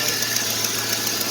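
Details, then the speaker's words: 1999 Chevy Silverado 5.3 V8 at idle: sharp, regular ticking about seven a second from the front of the engine, an exhaust manifold leak rather than timing chain slap. "as you guys can hear the ticking that's coming from the front of the truck that it's not like a timing chain slap from like a 5-4 Ford or something like that that is a manifold leak from a from a 5.3 right"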